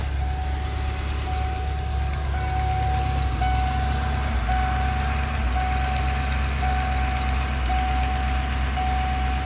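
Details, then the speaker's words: 1994 Ford E350 Club Wagon 351 V8, dead cold at idle: low, uneven, lumpy beat with occasional stumbles that mostly fade once warm; misfire also worse under load, cause not yet found. Base timing checked at about 10. "Idol's a little uneven and you heard it kind of hesitate a little there"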